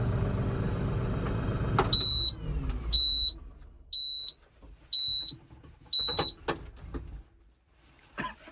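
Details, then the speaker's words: LS MT357 compact tractor, power clutch cab version, on delivery day: engine winds down then five evenly spaced high beeps about once a second, warning it was shut off without the parking brake engaged. "That beep you heard is if you cut the tractor off and you don't actually have the parking brake engaged, it will beep at you."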